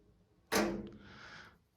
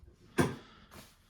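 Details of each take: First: Replacing a radiator thermostatic head: once screwed fully on by hand, a sharp plastic snap then a short scraping settle as the new head clicks home and locks onto its valve. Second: Heating radiator thermostatic valve body, head removed, pin pressed in and out: sharp clack as pin snaps shut, then softer settle; high differential pressure between inlet and outlet slams the valve closed.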